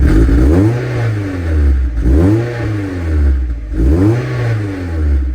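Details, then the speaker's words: Warm Mazda MX-5 Miata revved in repeated swells with a loose metallic rattle on each rev, felt in the centre of the exhaust while driving. A replacement centre pipe is planned; cause suspected, not confirmed. "now that kind of picked up more of a different rattle that I need to get sorted but you could still kind of hear it it's more of like in the center of the exhaust whilst you're driving"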